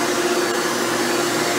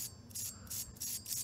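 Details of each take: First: Hoover Elite upright vacuum test run after motor rebuild with new motor bearings: steady even high-pitched whine, no rumble or grinding; runs much better than when acquired. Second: Hoover Elite vacuum motor disassembled, armature spun by hand before bearing replacement: uneven gritty bursts, about three rough passes a second; motor bearings badly worn and need replacing.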